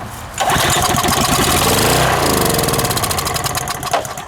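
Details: Harbor Freight pressure washer, cold start after sitting 10–15 years. It starts on starting fluid, revs rough and uneven, then fades and dies; the owner suspected a rod knock. Starts on starting fluid, then dies.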